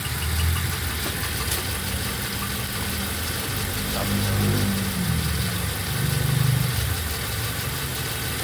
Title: toyota avanza gen 3 issue misfire # 1